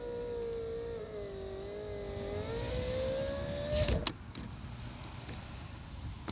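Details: 2017 Toyota Yaris power window checked after refitting the driver's door panel and replacing the left power mirror: smooth whine that dips slightly as the glass travels, then a firm stop; the window motor works normally.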